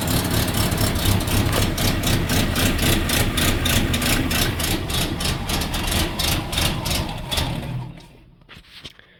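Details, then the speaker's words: Datsun cold start around 5 degrees: stumbles with uneven, lumpy fast firing, seemingly on one of three cylinders, never smooths, then dies; engine loading up, running rich. "this is the problem it has it does not like to start anymore I don't know I think some guy said it sounds like it's loading up which they are 100% correct"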